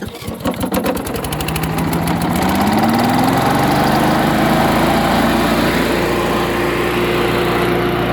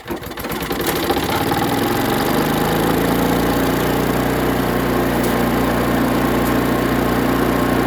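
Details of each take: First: Chipper/shredder small engine after new fuel and carburetor cleaning, spark plug light brown: revs up and settles into a strong, even drone with no misses, running healthy. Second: Chipper/shredder small engine after carburetor cleaning and plug check, started before full reassembly; it catches after a few pulls and runs with slightly irregular firing, a light sputter while settling.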